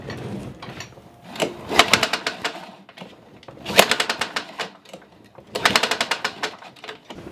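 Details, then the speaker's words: Craftsman mower found on roadside, long unused, primed and pull-started: three bursts of rapid pull-start clatter with a hard knock each pull; oil was topped up, owner suspects internal damage from running low on oil, engine to be torn down. "so it definitely sounds like it has an odd knock to it which is a little bit more work but nonetheless let's go ahead and start tearing this bad boy apart and seeing what's the deal"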